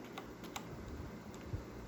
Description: corsair k65 clicking noise, so bad it seems like a blue switch..... those are cherry reds